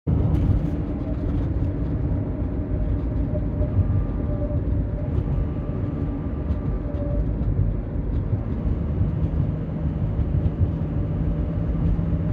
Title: 2007 Honda Element 4WD whine noise